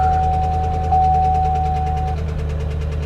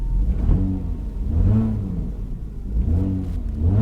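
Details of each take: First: 2011 Chevy Camaro SS salvage-auction car, started on a booster pack: heavy rhythmic rod knock, a deep thud every crank turn over rough idle; owner had hoped for a lifter. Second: Salvage-auction vehicle: engine revs up and drops back cleanly several times, smooth with no knocks or misses; runs flawlessly, though an engine mount is loose.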